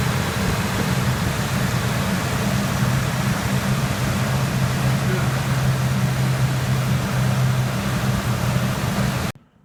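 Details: 2003 Ford F-150 after a no-start fix with cleaned battery terminals (battery 12.7 V, charging 14.7 V): steady, even low hum with no knocks, misses or squeal. Normal idle.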